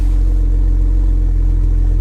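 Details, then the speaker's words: Salvage-auction car with low-coolant warning as only light: deep steady V8 rumble at idle, even and smooth with no misses, ticks or rattles; healthy exhaust note. "let's take a look in the trunk real quick oh that exhaust sounds good listen to that"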